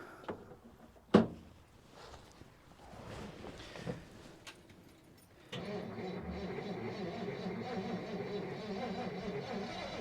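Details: 1957 Dodge Texan, first start after sitting since July 2023: engine catches after clattering and settles into an uneven, lumpy run; owner expects poor running from a huge vacuum leak because the carburetor is loose, not its intake mount.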